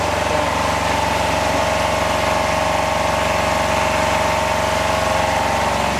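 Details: Home-built Yanmar two-cylinder diesel standby genset in a shed, just started: loud, steady clatter with an even mid-pitched hum, no misses or knocks; running normally.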